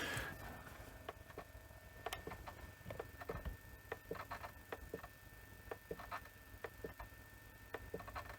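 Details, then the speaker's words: Panasonic NV-V8000 SVHS video recorder from around 1990 under repair: in a quiet room, uneven little creaks and ticks, two or three a second, come from a driven motor that is straining and not turning freely. "That motor is definitely being driven cuz I can hear it. I can hear it creaking."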